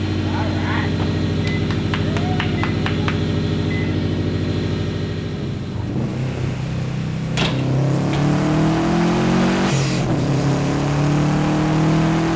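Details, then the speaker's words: 2015 Subaru WRX STI EJ257 after third engine rebuild, first start: brief crank, catches and settles into an even idle with clean blips; runs smooth and healthy. "It may not be setting any speed records, but the sounds this thing makes are perfect."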